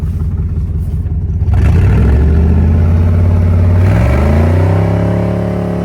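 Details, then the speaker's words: Toyota 1UZ V8 after sitting a few years, running on 10:1 fuel/auto trans oil to flush suspected stale-fuel-blocked injectors: rough, lumpy rev with uneven beat and clatter, then settles; better but still two cylinders down. "sounding better all right got two cylinders down Steel"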